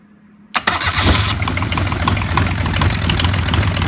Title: Bench starting 3 cylinder kubota diesel for band sawmill